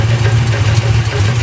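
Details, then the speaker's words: 1986 Chevy K20 with .060-over 360 (010 block) from a 68 Camaro, idling, 60 psi oil, 160° water: uneven lumpy pulse with faint rhythmic clunks that come and go; bearings fine, cam, lifters, oil pump, converter changed; owner suspects flexplate or crank dragging. "I just don't know what the hell. And it comes and goes. It doesn't stay the whole time. So that's what really bugs me out."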